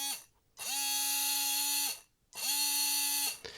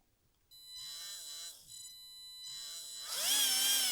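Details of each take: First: Tamiya Hornet RC car with Sport Tuned 380 motor, two short bench runs: a high buzzing whine spools up, holds, and dies away, sounding and feeling rough; owner suspects it burnt out from running too hot without rest. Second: Tamiya Hornet RC car's 540 brushed motor runs normally with a clean high whine rising and falling with throttle and no vibration, unlike the cooked, overheated Sport Tuned 380 that felt rough.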